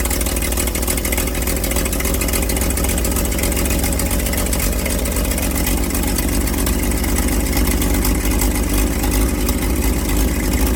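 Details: Old carbureted truck engine, not run in 30 years: steady high choke idle, even and smooth, no misses or knocking. Oil pressure about 42 psi, nearly 50 revved, slight smoke while the rings seal.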